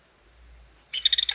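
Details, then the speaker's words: PSP 3000 Slim loud UMD drive, long stored, loading a disc: short high-pitched buzzing chatter of about six quick pulses as the laser moves, traced to the laser's motion, not the disc spindle; dry laser sled motor. "So it is when that moves. But when that moved, I seen it physically move and it made a noise."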